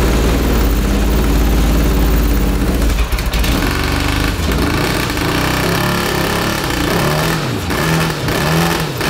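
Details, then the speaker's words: 1982 Honda CB750 DOHC engine in a cross kart: rough, lumpy running with a stumbling exhaust beat because the two middle cylinders aren't firing while cylinders 1 and 4 work; the owner leans toward ignition rather than fuel. "well i figured out that the two cylinder cylinders are not functioning on this engine so is it fuel or is it spark i'm not sure"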